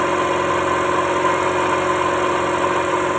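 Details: Toyota Starlet engine at low idle during a timing belt check: steady, even hum with no slap, whine or ticking from the belt side; belt and balance judged okay.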